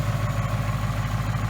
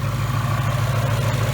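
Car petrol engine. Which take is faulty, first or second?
first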